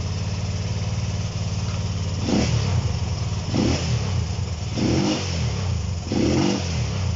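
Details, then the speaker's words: Honda CB125 RS, no choke, no battery fitted: single cylinder blipped about every 1.5 s, revs rising then sagging unevenly. Stumbles when revved; owner suspects fuel starvation and plans jetting changes. "you hear it starving to self a fuel a little bit there so um i'm going to mess today with the jetting"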